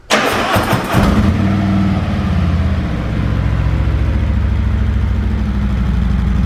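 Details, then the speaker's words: 2020 Harley-Davidson Road Glide Special, 114ci V-twin, stock exhaust before D&D Billet Cat 2-into-1 install: quick crank and catch, then deep, even, loping idle with steady beat and no ticks or rattles; normal idle. "So what I'm gonna do is start the bike up, let it run so you guys can hear what it sounds like stock, and then I'll start the bike up afterwards and let you guys hear what it sounds like with the 2-in-1 Billet cat."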